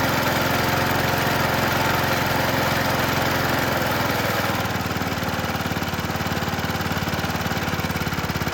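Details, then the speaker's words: 1977 Toro Whirlwind mower with Briggs & Stratton engine, crankshaft straightened, electronic ignition fitted: steady single-cylinder chuff, slightly slow and uneven, easing down midway; carburetor slightly out of adjustment, top governed RPM too low. "Okay, carburetor a little out of adjustment. Top governed RPM a little too low. Raised it to 2500."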